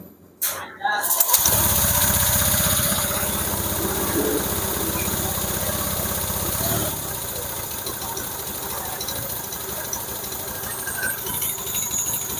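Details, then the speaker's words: Honda Vario 150 scooter after engine teardown and valve clearance set to 0.10–0.15, suspected past radiator coolant loss: catches after short crank, then idle wavers and drops around seven seconds without settling; unstable idle; smoke is dripped oil burning on exhaust. "bisa Hah suara P Iya hsamnya tidak stabil Bos"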